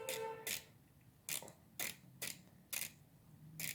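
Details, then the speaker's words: Snap-on FHX80A ratchet just rebuilt on the bench, screws Loctited: crisp bright clicks in short bursts, about seven over four seconds, pawl catching every tooth cleanly; normal ratchet engagement. "it's very nice it seems to be working just fine let's work that around a little til everything starts sounding and working right now that's clicking here a little better"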